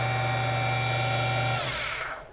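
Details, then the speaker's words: Central Machine CNC mini mill after gear transmission removed for a belt pulley conversion: smooth steady hum with a clean high whine, no gear chatter, even spin-down; spindle now runs quietly. "I just pulled these out and I'll show you how quiet it is now beautiful"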